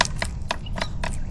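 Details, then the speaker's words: Specialized S-Works Crux bicycle, front end rocked under considerable force: sharp dry clicks about every quarter second; play in the headset bearings, not a preload issue, persists even when slightly overloaded. "So, basically, no matter how well I try to set up the headset, you hear that clicking, that's play in the headset, but it actually"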